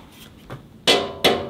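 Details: Range Rover Sport V6 diesel, broken down 24 hours after purchase: three metallic taps on the particulate filter housing sound dull and solid with no hollow rattle. The filter is still full, not emptied. Intact DPF.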